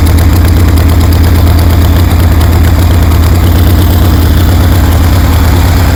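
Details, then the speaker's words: 1973 Harley Sportster fitted with a CV40 carburetor: deep, even V-twin thump, steady lumpy beat, no knocks or misses; running healthy after carb install, fine tuning still needed. "Damn, that sounds good."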